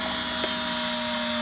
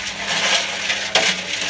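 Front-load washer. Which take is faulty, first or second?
second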